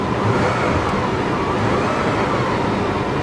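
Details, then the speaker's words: 3800 engine with A/C on and blowing cold, auction car: revs smoothly and evenly with no stumbles or misfires, a healthy-sounding engine. "you can rev it up the engine sounds healthy and it's smooth it's not misfiring"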